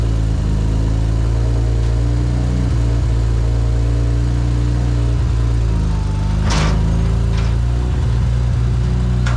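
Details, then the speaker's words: BMW E93 335i N54 donor car with DCT, crash-damaged with smashed coolant lines, idling off the trailer: steady low idle hum with a brief rev and settle, no ticks, knocks or grinding; nothing strange heard, slight N54 combustion smoke considered normal. Normal engine run. "no immediate worries and i didn't hear anything strange while it was running a little bit of n54 combustion smoke that's normal"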